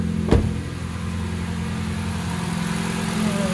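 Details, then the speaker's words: Honda Civic started after winter lay-up, with a solid rear engine mount fitted: a single thump, then a loud, low, steady exhaust drone, even with no misses or knocks; healthy idle. "well I would say she sounds pretty good but it's actually coming out the Dual starles wow isn't that something"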